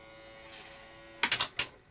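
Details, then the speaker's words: Philips N1502 (VCR N1500 format) video recorder, first tape test after counter belt replacement: faint motor hum then a quick cluster of light clicks with no lacing travel; possible lacing motor, gearbox or drive belt problem, deck fails to lace. "it sounds like it's trying to well lace or on lace i'm not sure it sounds like it's yes what should be happening when you put the tape in is it should lace up so it sounds like there may be a problem in the lacing uh motor gearbox or drive belt"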